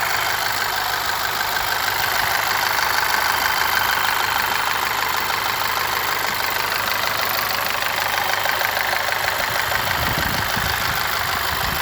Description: 2.0 tsi ea888 engine with new chain and modified tensioner.strange knock still present only on warm idle.any ideas??